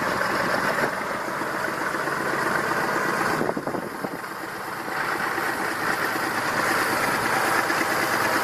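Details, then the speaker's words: Massey Ferguson 2645 tractor, Perkins 6-cylinder diesel, owner claims rebuilt 100 hours ago: ragged idle exhaust beat, about four pulses a second, lopsided rhythm, one cylinder seemingly down; suspected not properly closing exhaust valve, low compression, unconfirmed. "So my theory is because of the not properly closing exhaust valve, there is not enough compression, at least at one cylinder,"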